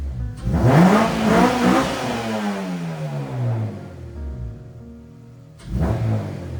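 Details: K24-swapped 8th gen FA5 Civic Si, just fitted with an Rtunes cold air intake and throttle body coolant bypass: two quick throttle blips, revs rising and falling cleanly with a loud intake rush over music; healthy.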